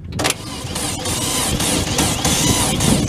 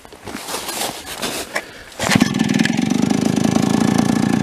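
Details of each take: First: Late-1970s Chrysler Sno-Runner snowmobile, abandoned in a barn for 45 years, checked for spark while cranking: repeated starter bursts pull it through but it never fires or catches; no spark, and the battery is found to be flat. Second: Late-1970s Chrysler Sno-Runner two-stroke snowmobile, abandoned in a barn 45 years, after last-minute repairs: pull-start clatter, then it fires, revs briefly and drops to a steady, even idle, running cleanly.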